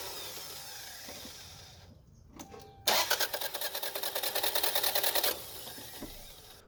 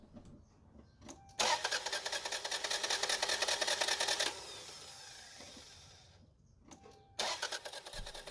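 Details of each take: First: Toyota Camry with new timing belt, crank sensor disconnected: about two seconds of even cranking, roughly three strong compression pulses a second, no slapping or free-spinning; healthy cranking versus the faster crank with the torn belt. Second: Engine cranks with a fast, even starter whir for about three seconds but never catches; crank-no-start, with timing belt, fuel pump, ignition module or crank sensor listed as possible causes to test.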